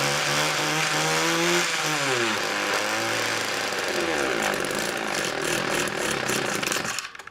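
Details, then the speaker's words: Homelite two-stroke chainsaw or trimmer, started on choke after about six pulls: uneven revving with a wavering, burbling note that sags and surges, smoking heavily; rough running, owner suspects rich mixture or dirty carburetor. "whoo little smokey um i'm gonna say she's running a little rich or something"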